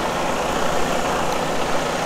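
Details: Diesel truck after fuel system priming with a homemade priming pump: steady, even diesel rumble with no misses, knocks or hunting, settling into a smooth, healthy idle.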